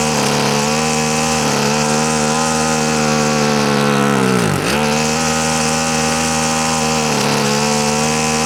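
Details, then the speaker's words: Husqvarna string trimmer before repair: a high-revving buzz won't hold steady, sagging hard midway then climbing back. The fuel-air mix is lean (too much air). Owner suspects the carburetor diaphragms need service or replacement. "so the fuel air mix is off which tells me these are going to be off and it could be just the case too that the U diaphragms in this carb need service they need either changed or uh need to be taken out cleaned or something"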